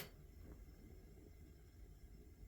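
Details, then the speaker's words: Ozark Trail portable propane heater on 16 oz bottle, 10,000 BTU on low: on high setting a soft, steady burner rumble with no flutter; the noise heard on low, after about 16 minutes running, goes away on high, cause unknown. "that noise goes away and then if I put it back on the low that noise comes back I'm not really sure what's causing that"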